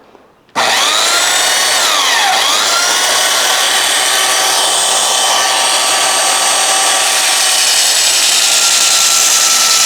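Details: Restored roughly 65-year-old all-metal Craftsman belt sander, hand-held as a bench sander on metal; motor comes up to speed quickly, holds a steady high whine over even belt rasping. Running healthy under load.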